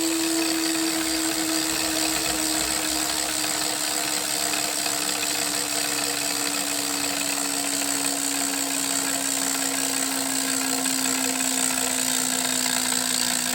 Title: Hammer 1 whirring clicking sound